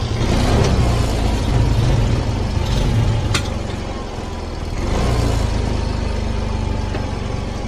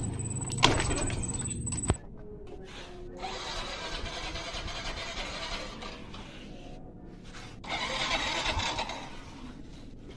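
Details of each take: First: Yamaha Mio M3 fuel-injected scooter idling with a steady low putter after adjusting the slow screw two and a half turns back and centering the TPS; it had stalled, lacked power and would not idle. Faint background music. Normal idle. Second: Yamaha Mio M3 fuel-injected scooter that stalls, lacks power and won't idle: repeated starter cranking bursts without the engine catching straight away, a hard start.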